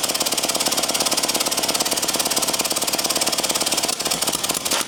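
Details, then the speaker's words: Early-1950s David Bradley walk-behind tractor engine, sat 20+ years: fast even chuffing at about three per second, no firing or catch; still too little compression, later found to be a stuck exhaust valve. "still not very much compression who knows maybe that got us where we need to go let's try it"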